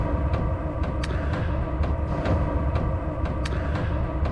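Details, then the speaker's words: Diesel heater running while camping: sharp metallic ticks about twice a second from the loud metering fuel pump over a steady low roar, audible all the way up in the tent. "so that that's an insane amount of ticking and it was loud it was all the way up in the in the tent I just couldn't sleep"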